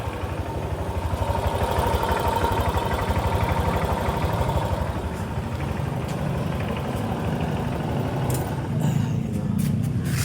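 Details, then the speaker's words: Honda Click 125 scooter running before repair; steady low rattling clatter about three times a second, first suspected crankshaft but traced to worn CVT pulley set, which is replaced; CVT pulley set noise. "Pakita ko sa inyo kung ano talaga naging tama niyan at hindi segunyal no. Let's go. Oh, ito bakit tunog kalampag oh."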